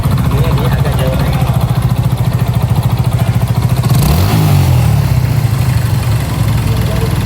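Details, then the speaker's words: Honda Supra GTR 150 motorcycle engine at idle: hard, even knock about three per second that gets lost when the throttle is blipped; a loose connecting rod, with the cylinder block and piston already scratched. "Nah, seperti yang kalian dengar, suaranya itu udah gak nyaman buat didengar dan berisik banget guys."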